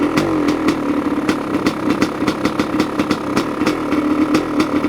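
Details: 1985 Honda CR500 two-stroke engine in a 2007 CRF450R frame, choke just turned off, muffler fitted: crisp, even crackle at idle through the muffler with a steady beat, no knocks or rattles, smoky and still a bit rich; normal idle.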